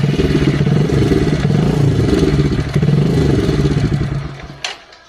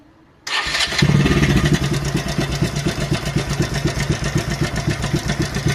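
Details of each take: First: Motorcycle engine idles with an even, steady beat, then shuts off, with no obvious top-end rattle; this is normal idle from a before/after timing chain replacement, where the rattle was blamed on a loose chain, worn pads or a faulty tensioner. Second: Motorcycle engine starting and idling before timing chain replacement: fast, metallic clatter over the beat, a rattle mainly caused by a loosened timing chain and worn pads; a faulty tensioner may also cause this.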